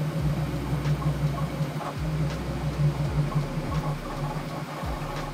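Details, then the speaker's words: Bambu Lab P1S 3D printer printing before the 1.05 firmware update; loud low motor hum with irregular clicks and sweeping steps about three a second, ordinary printing noise. "so that was pretty loud and that is a sound that I'm very used to with having a lot of 3D printers standing in my studio right here"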